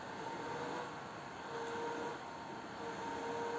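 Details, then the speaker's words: Tronxy XY-2 Pro 3D printer mainboard cooling fan: steady airy rush with faint wavering tone, louder once the grille cover is fitted; grille obstructs airflow, so it has to be removed to reduce noise. "to samo tylko z dmuchaniem płyty głównej , włączyliśmy dmuchanie, założyliśmy osłonę i słychać, że poziom hałasu wzrósł,"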